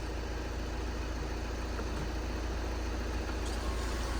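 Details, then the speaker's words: 2014 VW Jetta SportWagen TDI, 2.0 L CJAA diesel, 115,000 miles, Copart salvage listed as non-starting, just started: smooth, even diesel clatter at a steady low idle with no stumbles or knocks; idles nicely. "wow it sounds so good the auction listed it as does not start and it idles nicely"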